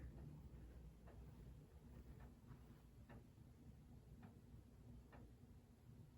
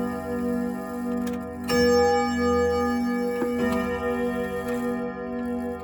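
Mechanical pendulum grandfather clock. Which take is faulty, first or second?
first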